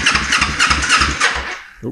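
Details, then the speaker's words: 2005 Kawasaki Ninja 250, first start test after freeing a stuck valve and refitting the valve cover and ignition coil. The starter churns steadily for a couple of seconds and never fires. The owner suspects it may be out of fuel, as the tank wasn't refilled. Cranks but will not start. "choke. It might be out of fuel. We didn't refill it, so might be bingo for fuel."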